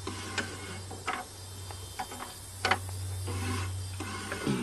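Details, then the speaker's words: Old Cheviac cold start, seized again: slow, labored starter hum with irregular scraping clicks, the starter armature rubbing on the field magnet. "hear that staedert rubbing on the field magnet oh yeah"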